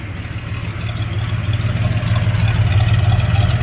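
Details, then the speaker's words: 1979 Ford F250 with a 300 inline-six (4.9L), Offenhauser C-Series manifold and new 450 cfm Quick Fuel carb: warmed up, fast idle kicked off from about 1600 rpm to a steady, even 700 rpm idle; normal. "so I'll kick the fast idle off she's idle and right where I want her at 700"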